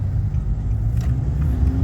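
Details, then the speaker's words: 2013 Nissan Navara D40 YD25 2.5 turbo diesel with 240,000 km, driving after intake manifold decarbon and EGR cleaning: a deep, even rumble under load with no misfire. Normal acceleration, smoother with more power across the rev range. "No, that's got heaps more. That's got heaps more power. Smoother. Rev range is much better."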